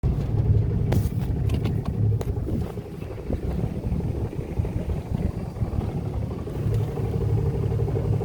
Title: Volvo Penta 4.3GL-E SX Stern Drive - Knocking noise